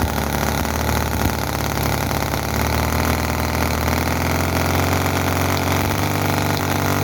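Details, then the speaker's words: Chinese model V-twin petrol engine (Cison FG-VT9 9cc or Microcosm R28 4.3cc), oil in crankcase, poor fuel tank: revs high, ragged uneven firing, misfires, oil leaking, no slow idle; cause unconfirmed. "as you can see the um there's not this is not perfect it's not running slow and there is explosion coming out of this"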